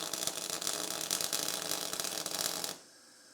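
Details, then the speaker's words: MIG welding with pure CO2 shielding, voltage cranked to 24 V: harsh irregular crackling and popping arc for about three seconds; excessive spatter, voltage set too high. "that seems extremely splattery so dial it back a bit a lot of splatter still seems kind of a little bit too proud to me"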